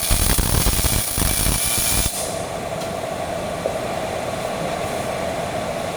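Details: Old Miller-Matic 251 MIG welder at 21 volts and 366, welding pipe fittings: a dense, even crackling sizzle for about two seconds, then a drop to a quiet hiss, settings well dialed in; normal MIG welding arc.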